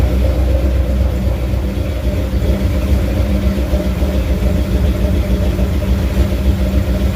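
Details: First startup of a carbureted 347 stroker with new pistons, bigger cam and better intake in a 1980 Ford F250: a steady, slightly lumpy low V8 rumble, about three to four pulses a second. Runs on its own but got pretty hot; no temperature gauge.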